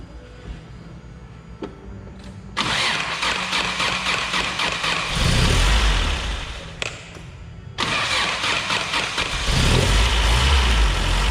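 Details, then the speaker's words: 1991 Toyota Pickup 4x4, manual, fresh rebuilt 2.4L 22RE long block replacing original that had rod knock at 236k miles; first start after priming oil, cranks, catches, dips once, then settles to a steady even idle with no knock, healthy. "alright so the motors running sounds good just gonna put the hood on give it a good test drive"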